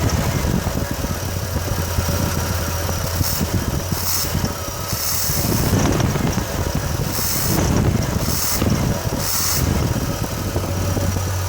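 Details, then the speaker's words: 1989 Chevrolet S10 4.3 TBI after TBI rebuild: steady low idle with faint irregular shake, shudder and vibration at low rpm, slight chirp near belt; owner suspects running rich or fuel in oil, rough idle. "there's definitely vibration at the low rpm"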